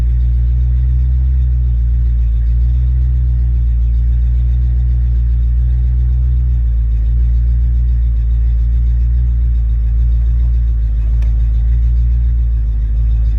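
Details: Ford Mustang mass-air engine test run after A9P ECU repair/exchange: revved and held at constant speed over ten seconds, deep steady rumble with no stumbles or breakups; runs smoothly.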